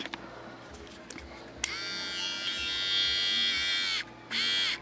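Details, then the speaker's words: Harbor Freight 12VDC rotary tool run from the computer power supply's 5V rail: faint, weak high whirring surging on and off; runs slow and underpowered from low voltage. "yeah almost nothing seems to run smoothly than the other adapter"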